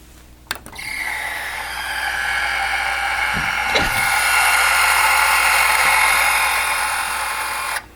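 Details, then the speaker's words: VCR (possibly 1993) at power-on and eject with a VHS tape stuck inside: harsh high screech held several seconds over motor hum; mechanism binding, owner hopes the tape is just stuck. "even hitting eject just makes that terrible terrible screeching noise so I'm hoping it's something minor and the tape is just stuck in there"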